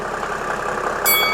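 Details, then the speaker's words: 1997 Mercedes E300 (W210) diesel at cold start with a hard, rattly knock at idle, a common fault on these diesels, caused by worn, carbon-fouled glow plugs (six fitted); this is before glow plug replacement. "can you hear that yep that's the knock that's the Rhythm that keeps me moving actually it's a very common problem on these diesels the issue is globe"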